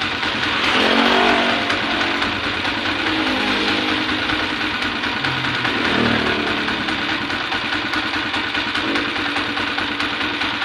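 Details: Single-cylinder motorcycle engine at idle and revving: a light, loose valve-train ticking. Valve clearance reportedly keeps loosening soon after adjustment. Timing gear, cam follower and pushrod were just replaced; the rocker arm was not and is being checked. Cause suspected.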